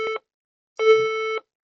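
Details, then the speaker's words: HP EliteBook 830 G6 brought in as not powering, power lines tested fine; a short mid-pitched beep, a pause, then a longer beep, the memory error code: RAM missing or faulty. "That beeping sound, it is called the error code for memory. When the laptop is having an issue with the memory, that's actually the sound which you expect."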